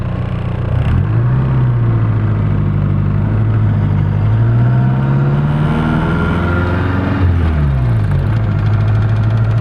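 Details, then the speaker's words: Nissan 240SX after months of repairs, driving through first to fifth and reverse: steady engine drone with clean rev rises and drops between shifts, no grinds or pops; transmission shifting smoothly. "as you guys can see everything works fine uh first second third fourth fifth reverse everything works uh there's no grinds no pops nothing the transmission is smooth"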